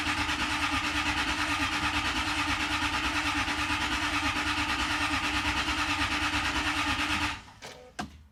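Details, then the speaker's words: 1998 Jaguar XK8 after fuel pump replacement through cut access hatch, ignition cycled several times to prime: steady starter cranking about three beats a second for seven seconds, never fires; cranks but will not start. "rather disappointing as you can imagine. Um, half a dozen attempts later. Um, we switch from pointless exercises to do a bit of diagnostics."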